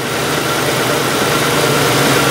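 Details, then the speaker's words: 2003 Mercury Grand Marquis 4.6 L with high idle complaint, P0507, IAC motor already replaced, just after startup: steady, even idle sitting fast around 1,000 rpm; higher desired rpm is normal right after startup. "initial startup on any vehicle it's normal to have a higher desired RPM than a stable idle condition"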